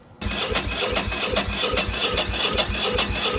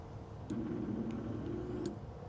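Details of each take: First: 2000/2001 Ducati Monster 900 that sat for a while, cranking with a spark tester fitted: even starter chug around two and a half beats a second with no firing at all. A little spark is present, but the fuel pump is dead, so there is no fuel. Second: 2000/2001 Ducati Monster 900 that sat for a while, with a new fuel pump fitted and hoses reconnected, on key cycle: a faint, steady low electric hum for about a second and a half that cuts off cleanly; the fuel pump primes normally.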